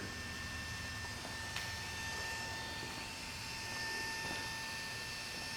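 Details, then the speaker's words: Honda CRF250L with Cyclops 7000-lumen LED headlight bulb replacing stock halogen: steady thin hum with two fixed tones from the bulb's built-in rear cooling fan; normal. "what you hear if you hear that kind of humming noise there is a cyclops LED headlight bulbs have a built-in fan on the backside of the ball to keep them cool so that's kind of what you hear that noise"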